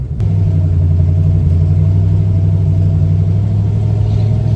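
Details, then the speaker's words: Race truck with automatic transmission after an in-pits transmission repair, driven lightly around the block: steady deep engine drone, tone steps down near three seconds as it shifts into second cleanly, no slip or flare; normal shifting. "Man. Yeah, it's shifting in a second, no problem"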